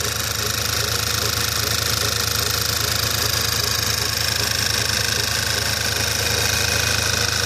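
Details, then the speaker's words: Skoda Octavia A5, cold: even idle with repeating light scraping squeak about three times a second, appearing about a minute after start, owner thinks not the alternator, doesn't affect performance; cause unknown. "Был слышно не был такой звук как что-то трёт кык кык кык кык что-то в этом роде"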